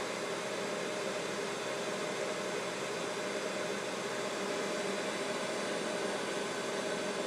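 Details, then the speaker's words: Mikini 1610L mill's 2 hp AC inverter-duty motor on Hitachi VFD ramping to full speed, 120 Hz, roughly 5200–5500 rpm: steady airy rush rising, no knocks or grinding; noise is just the cooling fan atop the motor. "so all that noise is just the fan on the top of the top of the AC [Music] motor"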